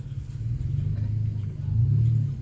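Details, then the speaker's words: Truck on new tires that rubbed on the driver side near full lock in reverse, after the fix: creeps at low speed on full lock with only soft engine rumble and no scraping; the tire now clears the wheel well. "But I don't hear anything, so I think that fixed it for me."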